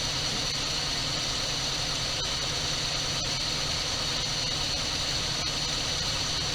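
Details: 1978 Dodge D200 crew cab 318 V8, abandoned 17 years, first start fed fuel down the carburetor, reportedly broken crankshaft and bad clatter; steady smooth idle hum under some hiss, no knocks or misses; runs healthy.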